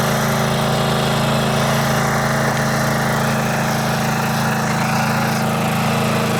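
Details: Riding mower at full throttle on its original muffler, before the exhaust-quieting modification. A steady, even drone with no misses, knocks or rattles: normal full-throttle running.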